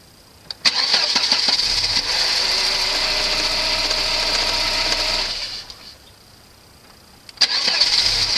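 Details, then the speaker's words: Volvo 940 after replacing the crank position sensor, whose cracked sheathing let water in and caused hard starting and intermittent power loss: engine catches at once, runs evenly, is switched off and fires straight up again; normal healthy start. "I'd say that's fixed."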